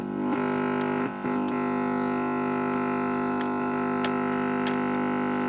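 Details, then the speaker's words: Repaired Famicom running Mario 3 through the TV: the second controller's microphone acts as an antenna, giving a steady, layered buzzing hum that shifts as the controller is moved. Microphone interference hum. "yeah so you can hear this is acting as some sort of antenna so we don't want that and when i put the volume up and shout in it it does sound very awful"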